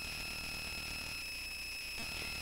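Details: Bare Conductive Touch Board audio output: constant high-pitched electronic whine with faint hiss, unchanging; noise worsened after changing the input power source; owner suspects inadequate filtering, cause unconfirmed.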